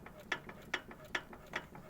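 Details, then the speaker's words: Lifan 17 L 420 cc engine fully disassembled, crankshaft turned by hand: crisp, even clicks about 2.4 per second from cam lobes pushing the pushrods/valves, not the connecting rod; valves adjusted, normal valvetrain clicking. "он стук теперь это у нас кулачки томаш ток идёт получается тома идет шестерня и как бы этот как его кулачок как назвать он отгоняет вот этот кулачки вот эти клапана здесь отрегулировал все нормально"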